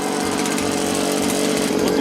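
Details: Free Echo two-stroke leaf blower from the trash, choke off, warmed up before carburetor adjustment: high buzzy note holding fairly steady speed with slight waver, running cleanly.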